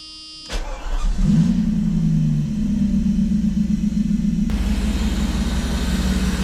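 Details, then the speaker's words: 1991 Mercedes 500SL, 39,000 miles, start after sitting, fuel pressure having bled down, expected to need two key turns: brief crank, catches quickly, flares then settles to a steady, even fast idle; clean, normal start. "But this will be probably a two two twists of the key. Let's hope it starts."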